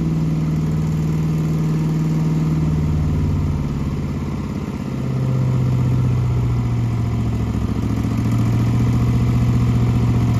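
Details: Small gasoline engine at full throttle after winterization storage with fuel stabilizer and fogging oil: steady, even drone with a smooth low hum and no knocks or misses; brief start-up smoke pop is fogging oil burning out; running healthy.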